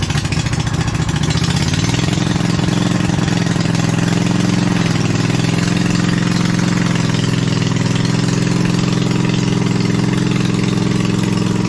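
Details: Replacement 27hp V-twin in a Lesco Viper 54" zero-turn mower, muffler on only one pipe: steady, even drone that rises a little, then holds a smooth idle with no misses or knocks; healthy.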